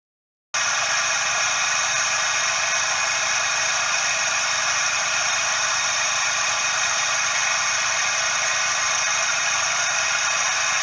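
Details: Suzuki Every DA64V engine idling: constant dry hissing rush, no knocking, steady with speed; belt tensioner bearing noise.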